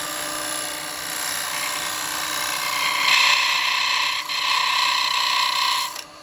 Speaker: that's because I'm getting a bit of vibration now you can hear it and that's because the Bowl's a lot thinner